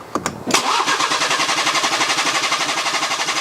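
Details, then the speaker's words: BMW with refurbished engine just installed, first start: fires almost at once then idles unevenly with a lumpy, wavering pulse; owner suspects air still in the fuel system, and it ran smoother shortly after. "well it spins over quickly I guess there's still probably air in the fuel"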